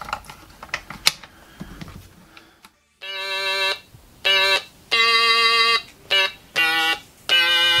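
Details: Stylophone pocket synthesizer sold on eBay as not working (battery corrosion), after soldering in new battery contacts: handling clicks, then clear buzzy notes in short bursts with steady pitch and clean starts and stops; playing normally.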